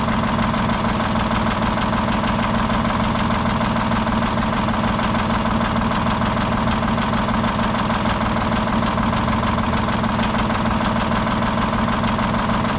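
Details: Detroit 6-71 diesel on its last run before being pulled. A loud idle with a lumpy, uneven knock about twice a second breaking the rhythm; one cylinder isn't firing, and it is getting worse.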